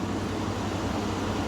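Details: Chevy/GMC that had its radiator fan running constantly, after reconnecting the connector and battery reset: steady low engine hum with no fan roar, cooling fan now quiet; normal idle.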